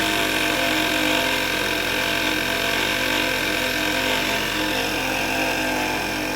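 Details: VW MK6, just after the morning start: sounds fine, then a harsh constant whirring rattle starts over the idle; caused by a failing alternator, noise gone after replacement.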